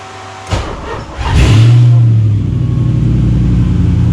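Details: 1986 Mazda RX7 FC with LM7 5.3L LS swap, tuned OEM PCM, after wiring harness tidy-up: cranks briefly, catches at once, blips cleanly and settles into steady, even deep idle; healthy start.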